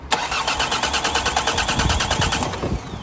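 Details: Diesel car after five hours on battery charge: a steady starter chug about three beats a second for nearly three seconds, never catching; half tank of fuel.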